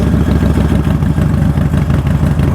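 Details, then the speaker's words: Vehicle in neutral started with the push button: a loud, deep, loping potato-potato idle from open pipes, steady and even with no misses or knocks; a healthy idle. "Oh yeah. Oh, that thing sounds beautiful."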